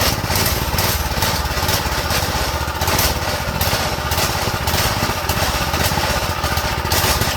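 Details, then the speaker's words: Go-kart small engine on fresh fuel after draining the old: runs at a low, slightly lumpy idle; owner suspects idle set too low and dirty carb jets, emulsion tube and main jet. "maybe it needs the maybe the idle needs to go up let me see we probably need to clean the Jets to be honest or like the emotion tube and the main jet"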